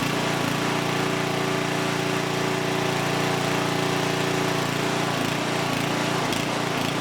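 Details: Huskee rear-tine rototiller abandoned by previous owner, after recoil repair, carb and fuel tank cleaning, running hot before oil change: loud, steady single-cylinder putter at a fast, even rate, no misses or knocks; engine is good, normal running.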